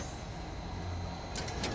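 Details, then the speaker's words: Boeing 707 cockpit on approach, no autopilot: a steady cockpit rumble, then a short run of sharp mechanical clacks from the manual trim wheel turning, which is normal operation. "okay that noise is the big old clunky mechanical trim wheel trim fine- Tunes the attitude of the aircraft modern planes do it automatically via the autopilot"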